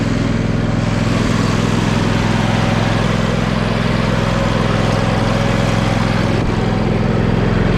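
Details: John Deere L120 lawn tractor, small single-cylinder engine after sitting, mouse nest cleared from air filter and carb cleaned, idling with a steady even putter; starts and runs, though blades won't engage; owner suspects mouse chewed a wire.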